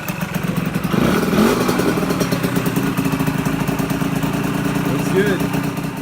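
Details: Honda MB5 moped after a chain change and rear axle adjustment: a steady two-stroke buzz that swells briefly then holds even, with no rattles or misfires, so the engine runs fine.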